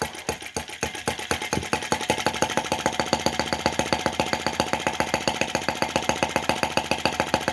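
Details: Brass half-tracked Lanz-type T16B model tractor on its first run. A slow, even single-cylinder putter at about 220 pulses a minute with no misses or knocks: healthy, steady low idle.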